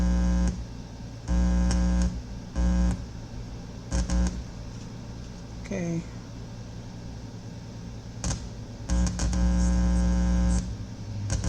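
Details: Altec Lansing IMT7002 speaker dock, powers on but no sound; suspected bad amplifier IC or nearby capacitor. Low steady buzz cuts in and out in bursts as the probe touches input capacitors, mains hum from the ungrounded test lead. Cause suspected, not confirmed.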